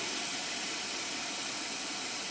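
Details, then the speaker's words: 2011 Chevrolet Aveo overheating with code P0599: constant high hiss of steam and spraying coolant; cracked plastic thermostat housing behind thermostat blowing off coolant, engine shut off; also failed cooling fan low-speed dropping resistor. "so it just started blowing off coolant from somewhere not sure where oh the housing is leaking isn't that special let's shut it off well that plastic thermostat housing is cracked for the housing behind the thermostat right in here"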